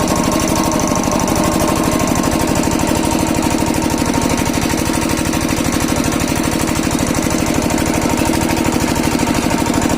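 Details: Kirloskar single-cylinder diesel after diesel filter replacement for a starting problem: a steady, even thumping beat with no misses or surging; normal running.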